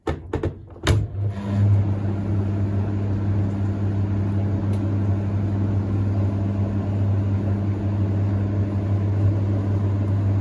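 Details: Hoover Ecologic D6722 reversing tumble dryer, after being taken apart and de-fluffed internally, test run and heating up: a few starting clunks, then a steady constant low hum; smoother than owner's older one; normal running.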